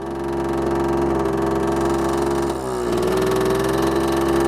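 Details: 1980s Honda Gyro two-stroke, sat 10+ years, oil possibly put in gas tank: buzzes at fast idle but beat uneven and stumbles midway, running rough with smoke until excess oil clears.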